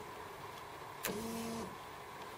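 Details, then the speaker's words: 1981 Jaguar XJS not run in six years, injectors disconnected, ignition switched on: a click, then a clean, steady hum of about half a second. The fuel pump primes normally. "the fuel pump starts every time I do that so that all seems to be working well"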